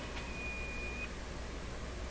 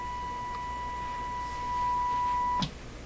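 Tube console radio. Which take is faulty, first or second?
first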